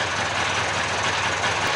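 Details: Mid-1990s Polaris 400 two-stroke ATV revived from parts, idling on straight gas: steady, even buzzy idle with no misses or knocks; normal idle, battery charging 13.8 V at idle.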